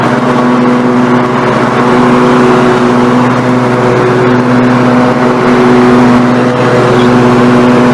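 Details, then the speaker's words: Snapper NXT 25-48 riding mower engine after carburetor replacement, now warm: steady, even hum with a stable low drone, no misses or surging; normal idle. "everything looking good I'm 90 warm and then I'm gonna cut it for Bridal"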